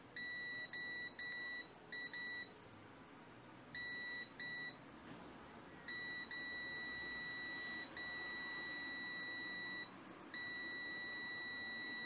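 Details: Extech EX355 multimeter held on continuity with probes connected and display showing readings: steady high beep keeps cutting out in short gaps and resuming irregularly; intermittent continuity beeper dropout.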